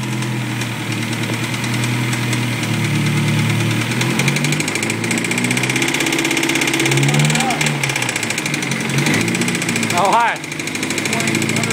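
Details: 2001 Honda S2000 petrol engine idling with a loud, steady knock in time with engine speed; spun number 2 cylinder rod bearing causing rod knock.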